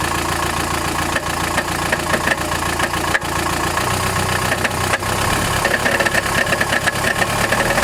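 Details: Chrysler Grand Voyager 2.8 CRD diesel idling with a steady metallic rattle on the engine beat, not from the belts, power steering or balance shaft; cause was a badly cracked flexplate between crank and torque converter in the bell housing.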